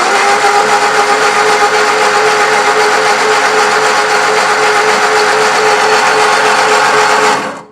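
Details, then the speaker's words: 1963 Lotus Cortina Mk1 Crayford convertible, long garage-stored, first crank without plugs: even, fast whirring crank about seven seconds, plenty of air, no grinding or catching; engine turns freely. "okay right i'm getting plenty of air coming through anyway nothing no nasty things at the moment no i'm not hearing any grinding it's smooth as can be so that's good"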